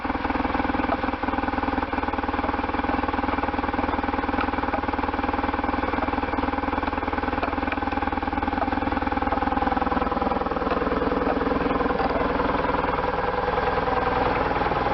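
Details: Restored 1998 BMW R1100RT boxer twin, first run after restoration, throttle bodies not yet tuned: even, lumpy idle at about four pulses a second holds steady with no misses or knocks; running cleanly.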